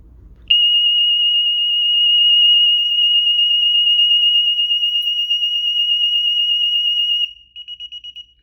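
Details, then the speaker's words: DSC home alarm panel panic function test: piercing steady high police siren for about seven seconds, then short chirps as it is disarmed while the system dials out. "so first we're going to do police it will be loud and three two one"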